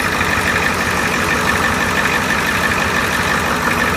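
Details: Engine "Big Red" at idle: a steady, even hum with no belt squeal or chirp, running normally.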